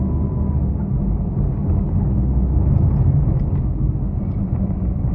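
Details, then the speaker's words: Proton Saga BLM driving: steady low droning hum under road rumble, louder at speed; suspected front wheel bearing with hardened, dried-out grease. "Tapi yang merisaukan dia punya berdengung tu. Kalau bawa laju tu berdengung tu biasanya berdengung ni bearing tayar eh. Gris dia dah keras."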